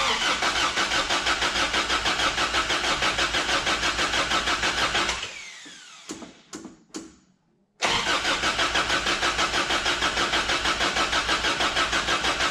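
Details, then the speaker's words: 1988 Toyota 22RE after head and valve train replacement, first start attempt: steady starter cranking about three turns a second, a pause, more cranking, never catches; no fuel reaching the engine, fuel pump verified bad. "went through the engine obviously you heard it try to start we figured out that it wasn't getting fuel"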